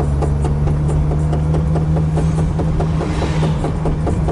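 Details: VAZ Zhiguli driving gives quick, regular knocking from the rear wheel, about four or five a second, over a low driving drone.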